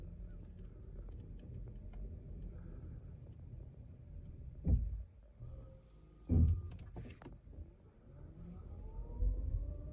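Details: 2024 Toyota RAV4 with 800 km, about 1.5 months old, brakes already inspected and lubricated without change: quiet rolling with two clunks and a faint rising squeal. Brake noise when stopping to a halt and when releasing the pedal.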